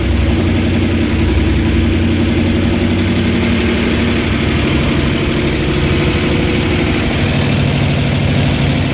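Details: Dead derby-style van V8, revived with gas poured into the float bowl vent and a weak starter: loud, throaty burble from open pipes holding steady without faltering or stalling. Engine runs properly again.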